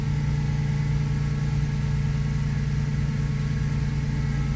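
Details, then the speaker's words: 1997 Mustang after starter replacement for intermittent starting: steady idle, low even drone with a faint regular pulse; odd noise of unclear cause, possibly just how it sounds; unusual noise after starter replacement. "Huh. I don't know. I can't tell you. That's a weird noise, isn't it?"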